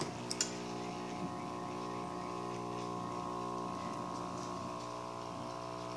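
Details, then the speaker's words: Electrolux LF 750 washing machine agitating to one side only, tested with a used spare control board: small water inlet pump drones with a steady low electrical hum but never runs up properly; faulty control board, new one fitted. "Essa placa aparente não ser boa. Não, essa placa não é boa."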